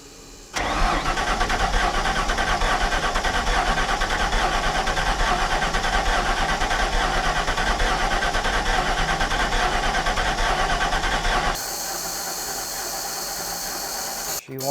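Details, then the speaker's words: 1993 Ford F700 gas dump truck, long parked and bought as a ran-when-parked, with a few gallons of fresh gas added and something poured on top of the cylinders: steady fast cranking for about ten seconds, turning but never firing. Long cranking without starting. "she wants something I'm not saying it's anything good but she want something"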